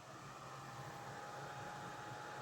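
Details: Small plug-in essential-oil diffuser fan, single on/off setting, switched on at the button. Quiet steady whir of moving air with faint constant hum, no rattle or wobble: fan running normally.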